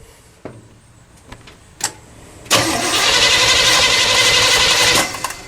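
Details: Pink big-block Chevy, after its carburetor was cleaned for running very lean at idle and bolted back on, no throttle linkage connected. The starter clicks, then cranks steadily about four beats a second without catching. It starts on a later try and sounds much better.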